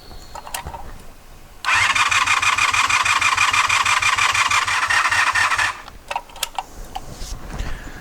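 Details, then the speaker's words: 1984 Honda VF500F Interceptor after carburetor O-ring rebuild: about four seconds of brisk, even cranking at roughly three beats a second with no firing. Fuel pump seemed not to run; owner suspects a poor connection. "so it acted like fuel pump wasn't running"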